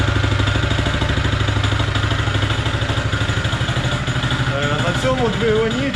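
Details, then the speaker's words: Honda GX160 single on a POWER TROWEL M80H concrete trowel running rough with a steady, regular hard knock each crank turn; worn rod bearing, clear crank-to-rod knock, machine not fit to run. "явний цокіт між колінвалом і шатуном. Ця техніка не є дієздатною."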